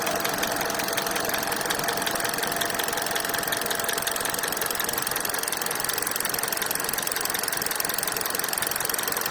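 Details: 2019 Hyundai Accent (Solaris) idling: sharp, fairly regular ticking knock about three per second over the hiss; engine knock, cause not identified.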